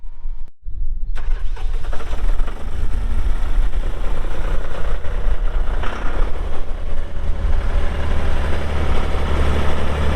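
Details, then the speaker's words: 2001 John Deere 5320 4WD tractor diesel, about 358 hours shown (meter replaced): brief crank, catches and settles into steady, even low rumble, no knocks or misses; healthy start and idle. "We'll get that hood shut, we'll fire it up and get right into an operational video."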